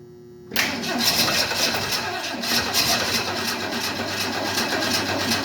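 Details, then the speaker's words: 1968 Ford Mustang on a nearly flat, briefly trickle-charged battery: starter churns, engine catches for a moment and dies, won't keep running; owner suspects no gas in the lines, unsure whether the fuel pump is pumping. "Got no gas in the lines, I think is the problem here."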